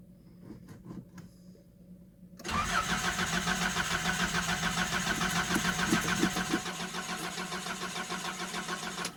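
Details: Nissan 720 cold start: quiet clicks, long cranking, then engine catches abruptly and runs rough before settling; hard cold start, owner suspects it needs a new fuel pump, unconfirmed.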